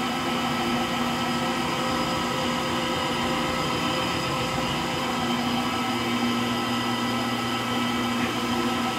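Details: Frigidaire Gallery front-load washer GLTF1670AS1 on final spin: a steady whirring drone with a rough gravelly rumble under it, from worn drive motor bearings.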